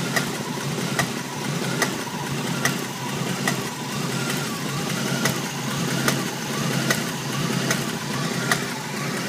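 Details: Jeep CJ7 engine at idle: a sharp, regular knock slightly faster than once a second over the engine note. The cause of the knocking is unknown.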